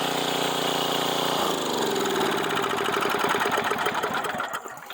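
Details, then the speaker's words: 1990s Sears Craftsman 2400 W generator after adding fuel and a splash of gas in the carb: steady hum, pitch rising smoothly under sawzall load, firing evenly; runs fine. "Got it running. Fires right up."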